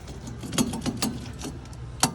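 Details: Truck driven at 65 mph on the freeway: rough metallic grinding with irregular scraping bursts over a low rumble from a failed front hub bearing, the wheel held on only by the brake caliper. Fixed with a new hub bearing and front brakes.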